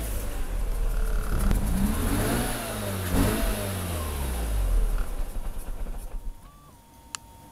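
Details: RX8 110000km 2004 - Broken Sideseal - Very rough idle, power loss, pulsating air suction sound; rotary revs unevenly on throttle, lumpy pulsing intake noise grows even louder when playing with the throttle.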